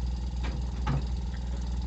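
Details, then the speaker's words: Samsung inverter refrigerator compressor, bench-run from a board that had flashed an IPM fault, after swapping two motor terminals to correct reversed rotation. Steady low hum with an even, gentle pulse and no knock or rattle; running normally. "se escucha igual el desempeño del compresor está trabajando"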